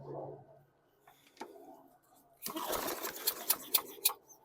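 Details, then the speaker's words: 2020 Craftsman M100 21" walk-behind mower, 140cc 5.0 series engine, keyway fixed but carb not cleaned: on the pull it gives a few uneven pops, fires briefly but won't keep running and sounds funny; cause unconfirmed. "one two I could I could hear it fire off so we out of the woods I'm going to put gas in it just sounds funny"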